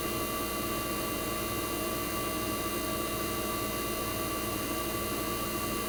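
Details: 1965 Fedders Weather Wheel air conditioner's 1960s reciprocating compressor running after first cold start of 2023 in a very cold shop: steady even drone, constant hum, no knocking, rattling or surging; compressor warm, head and suction line ice cold, running normally.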